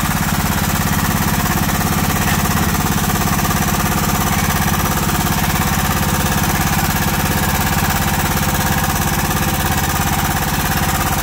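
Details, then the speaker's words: John Deere Sabre riding mower, a will-it-run revival: steady small-engine idle with fast, even ticking of about two per second. The lifter tick has not quieted after five minutes of running; persistent valve tick. "I don't think y'all want to sit here listen to a run and uh see if I can get this lifter pick to go away see you shortly okay guys it's been like five minutes it hasn't quieted enough at all"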